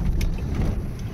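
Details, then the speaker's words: 1998 Volvo T5 five-speed manual on a bad cobblestone street after installing an upgraded dashboard mount rattle kit: deep steady tire rumble, no dashboard chatter or buzzing; before the fix the dash rattled heavily. "I kind of regret not recording how bad my dash was prior to this cuz this would have been just chattering up a serious storm. But listen to that. It's like a brand new car, man."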